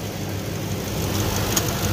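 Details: 2006 Ford F-150 5.4 Triton V8 after fixing a cylinder 8 misfire, which was traced to a loose spark plug with a broken tip that had caused a tick: even low rumble with no ticking; smooth, normal idle.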